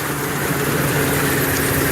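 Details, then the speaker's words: 2015 Ford Super Duty 6.2L V8, still misfiring after new plugs and coils: heavy idle with a lumpy, uneven cadence where one cylinder seems to drop out, noise from one side; possibly a loose spark plug, cause not yet pinned down. "the noise does seem to be coming from this side I don't know what that noise is that could be a loose spark plug"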